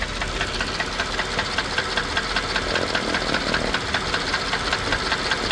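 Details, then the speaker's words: Mercedes-Benz S430/S500 W220 V8 at idle before a BG engine-restoration oil change: steady light knock about 2.5 times a second over smooth idle; owner doubts a broken connecting rod since there is no noticeable shaking; cause unconfirmed. "Again, is it knock-like? Yeah, but knock-like to the point of a broken connector rod? Not so much."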